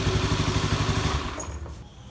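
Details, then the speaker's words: Scooter CVT after cleaning-only service, revved with cover on: fast uneven "tret" rattle riding on the engine note, fading as revs drop; worn/loose CVT pulley bearing, later replaced. "Ini ada kerjaan motor ini habis di servis CVT-nya, tapi waktu digas suaranya masih tret. Ini cuma dibersihkan aja. Kita coba. Kan ada suara ter gitu."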